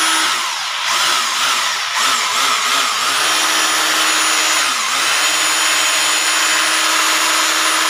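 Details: Rotary hammer drill after repair of broken bearings. Steady high motor whine with a brief dip and recovery, no grinding or rattle; runs healthy.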